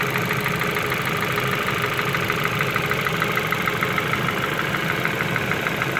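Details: Ford Focus 2 petrol engine idling with a steady ticking knock around two per second; cause can't be told by ear, suspected but not confirmed.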